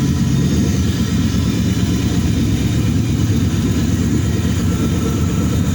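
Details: Nissan G35 with a VH45 V8 swap, first start after three months, no coolant circulating, fuel rail converted: deep, smooth, even V8 rumble with steady firing and clean pickup when revved; no knocks or misses.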